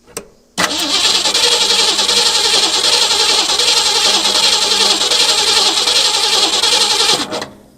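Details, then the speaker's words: 1963 Ford Galaxie sitting for a couple of years, fresh battery: starter churns steadily about three and a half turns per second for six seconds but never catches; fuel tank suspected nearly empty, not confirmed. "He's not pulling up anything. >> You know, he did mention that when he parked it, it was very low on gas."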